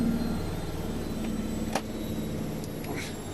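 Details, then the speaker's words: Brandt 7 kg washer (Max 1489 SF), about 1200 rpm and still climbing toward 1400, 4 minutes left: smooth steady fast whir, no thumping or grinding, balanced load; normal high-speed spin. "on va encore monter je pense qu'on est à 1200 on va encore monter un petit peu"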